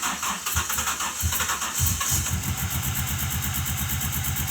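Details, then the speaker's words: GMC Typhoon sat 21 years, first start with 42 injectors fitted: freshly started engine settling into an even, regular idle with no rod knock; good oil pressure, mid-gauge, check engine light on. Normal running. "She runs. It's legit running. Yes, we did it. It doesn't have a rod knock. That's good."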